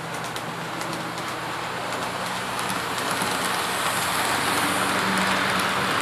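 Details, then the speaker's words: Athearn P42 model locomotive no. 156, test run after lubrication while hauling 3 cars as a light load: steady motor hum with regular light track clicks, no binding or stutter. Runs fine, considered fixed. "Alright, well, we ran it, and ran pretty good 3 times in a row, so I think it's safe to say that the locomotive has been fixed. It's lubricated, it's running fine. Everything's good."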